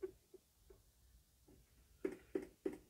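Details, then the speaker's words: JVC stereo system with CD, cassette and aux: in a quiet room, a run of sharp chirping clicks about three per second from the cassette mechanism. The tape section is faulty; the rest of the unit works. "esse barulhinho que vocês escutaram é da fita tá bom que no final vou falar também sobre ela"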